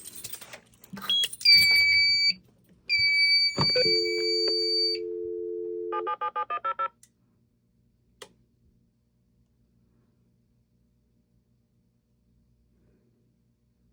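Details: Fire alarm panel sharing a phone line, dialing the central station during a test alarm: off-hook tone, a quick run of dial tones, then handshake beeps and fast beeps transmitting the alarm and restoral signals, followed by acknowledgement.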